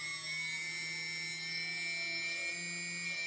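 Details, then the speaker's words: TBS Discovery quadcopter motor number two during balancing with tape: clean steady whine at constant pitch, quieter and sounding slightly different than the other three, little vibration; normal running. "the same vibrations as the three other but it has some sort of another sound but no vibration so engine number two it sounds a little bit different much quieter and not that much vibrations"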